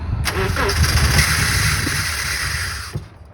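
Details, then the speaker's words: 2009 car with crank-no-start, spark and fuel confirmed, fuel pump replaced, muffler support pipe suspected and muffler pushed up before this attempt: starter cranks with uneven churning about three seconds, engine doesn't catch; crank no start. "So now we're going to try and start it again, see what happens. See if she'll start."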